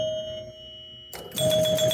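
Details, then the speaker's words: Gottlieb King Kool pinball machine under restoration, after checking score motor switches 3C and 4C for a special light: clear bell chimes ring, then score motor runs with quick mechanical chatter; working normally. "I guess this will make the score motor run. Yeah. See, it's running."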